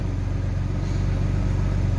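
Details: Alfa Romeo 156 GTA after a radiator repair, just started after the lambda sensor invalid-signal fault was read, and the fault did not instantly return. A steady low hum with an even pulse and no knocks or ticks; it settles into a smooth, healthy idle.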